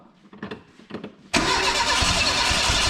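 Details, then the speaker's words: Renault 5 GT Turbo, first start once ignition timing first tooth angle corrected from 80 to 50; cranking bursts, then loud, uneven, lumpy idle; rough running after first start. "so now big bang oh mate like a [ __ ] kitten well a pretty rough kitten but still it's"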